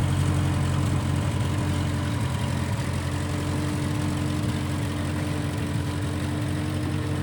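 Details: 1955 Massey Ferguson MF65 four-cylinder tractor, in the family 30-some years, idling after sitting about two years with a cleaned-out carb; smells of varnish and rusty gas. Low, steady thrum with an even beat and no stumbles. Normal running; Marvel Schebler carb may need slight tuning.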